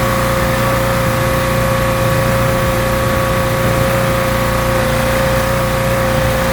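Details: Rebuilt pressure washer small engine with a known leaking manifold, cleaning a car wheel: steady, even drone with constant pump whine under full water flow, no hunting; runs really well, normal running under load.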